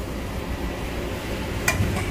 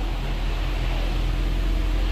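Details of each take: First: 2021 Ford Explorer, 22,000 miles, shifted into reverse holding the brake at idle: one sharp metallic tick from the rear, located behind the hub where the rear CV axle enters the bearing; dry, loose axle-to-hub splines. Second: 2020-and-up Ford Explorer, after loosening and reseating the CV axle nut, shifting between reverse and drive: steady low idle hum, no metallic ting or pop on engagement; the popping is gone. Normal engagement into drive.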